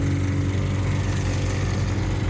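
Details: Custom on-board air compressor on an F-150 off-road truck, just after swapping a 15 A fuse for a 30 A fuse: steady even motor drone with low hum, no stumbling or surging; compressor running smoothly at full speed.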